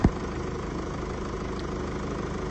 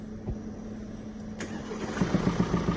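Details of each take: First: 2017 (67-plate) Mercedes E-Class with 654 diesel engine, second car after repair of rocker arm knocking: steady, even diesel idle clatter with no stray knocks or ticking; normal idle. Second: 2017 (67 plate) Mercedes E-Class with 654 engine, at start-up: engine catches, then a steady rhythmic tapping knock at about three per second through idle, from worn rocker arms and hydraulic lifters, before replacement.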